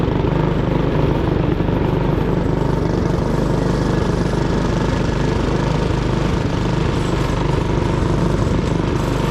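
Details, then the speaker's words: 1959 McDonough T-10 Tin Lizzie go-kart's single-cylinder engine under load: loud, chugging, uneven lumpy beat, nearly stalling on sharp turns; rough running, jetting suspected off, likely too much fuel. "Sounds like it's getting too much fuel. It sounded like it was having trouble."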